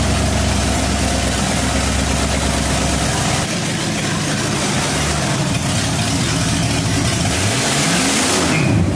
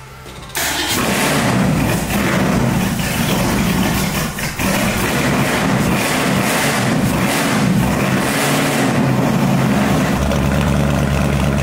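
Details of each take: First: 1965 Mustang with supercharged, aluminum-headed 289 V8 and big cam, restarted after cooling off: deep, lumpy burble that swells with a rev and settles back, even firing with no knocks or ticks. It sounds healthy, ahead of a thermostat removal. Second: 1965 Mustang with supercharged, aluminum-headed 289 V8 and big cam, first fire-up with exhaust and tailpipes after a thermostat delete: it cranks, catches, then settles into a slow, loping idle that is too low. The owner wants the idle turned up and the initial timing tweaked.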